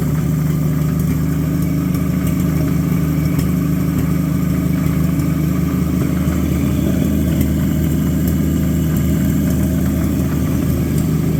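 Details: Abandoned Chevy 216 inline-six from a 1950 Chevy 1-ton truck, run on used filtered oil through a couple of heat cycles: low, chuffy idle with an uneven lope and a dull knock underneath. A miss plus bottom-end noise, pointing to bottom-end wear.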